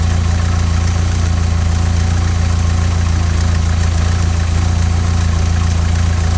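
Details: 16-valve Mk2 Golf GTI, idle screw set to 950 rpm, CO mixture at 0.7% versus 2% spec after MOT emissions failure: low idle with slight rhythmic lumpiness about three and a half beats a second, hunting a little and rocking; lean rough idle.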